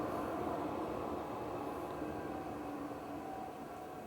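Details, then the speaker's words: Vevor 12V 8kW 17,060 BTU diesel air heater tested indoors: a steady whir with faint tones slowly fading as the fan spins down after shutoff. Normal post-shutdown cool-down cycle. "turn it off and it is cooling itself down okay so there's a post cool off okay it's winding down you hear it winding down"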